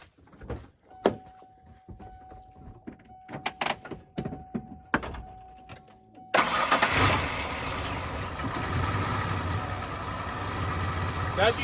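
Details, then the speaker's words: 1994 Ford Ranger started with the idle air control valve unplugged: a few clicks, then the engine stumbles along at a weak, uneven, very low idle, barely running, and tends to start and die. Very low idle with the IAC disconnected. "can tell it's a very low idle almost barely running when it's pulled out the pickups will not idle it'll start and they'll die"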